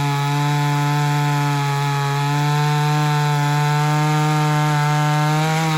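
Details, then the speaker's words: Ported Homelite Super XL-130 chainsaw cutting wood: strong, steady high-pitched drone holding revs evenly through the cut, no bogging or surging; oil good, runs good; normal cutting under load. "all right other than that everything seems to be in working order oil's good runs good"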